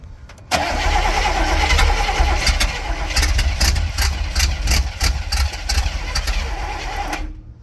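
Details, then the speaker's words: Barn-find Cadillac 7-liter V8 unstarted 30+ years, fresh gas with lead substitute: starter churns unevenly about three pulses a second but never catches; cranks but won't start. "New plugs. Let's try it again. For like the millionth time."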